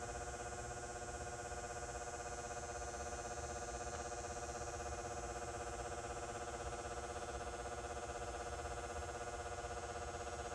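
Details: Outdoor light fixture over 20 years old with a 175W high-pressure sodium bulb: steady electrical buzz, louder than usual, plus a new rapid ticking about four ticks a second, like an engine running.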